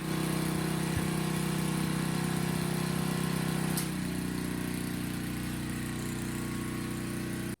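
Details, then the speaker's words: Troy-Bilt tiller engine that had sat for years, first run before oil and spark plug change: smooth, steady putter easing to a lower even speed before shutoff; running reasonably well. "well not too bad for a tiller that i would say it's been forgotten in the way that this thing has been looking and everything"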